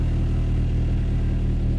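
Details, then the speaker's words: 1988 Toyota MR2 AW11 petrol warm idle (about 1000-1100 rpm) after idle valve adjustment, dropping back once the AC is switched off: a low, steady, even hum with no knocks or surges. "that kicked back down as soon as I turn the air off so that valve should be set pretty close now so yeah it kicked that down pretty good and you can actually hear yourself thinking here now"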